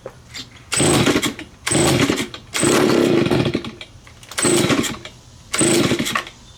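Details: Neglected curb-found Stihl BG55 two-stroke leaf blower, first start after cleaning, choked: blips up in short bursts and falls back to a ragged, unsteady idle; owner says it needs carb adjustment.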